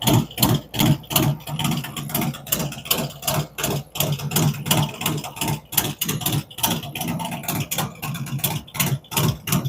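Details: V-twin on first fire-up after Zipper's 468 cam, adjustable pushrods, aluminum intake, 5.3 injectors, existing headers and ThunderMax; uneven potato-potato idle about three pulses a second, firm, no mechanical clatter; normal idle.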